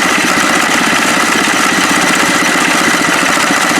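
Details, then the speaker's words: HondaX4 mower build engine at low idle with the clutch engaged, which keeps the idle from dropping lower: calm, even idle with a light, steady chatter and no misses or knocks. Normal. "It'd go way lower than that, but I've got the clutch on right now. That's a nice little calm idle."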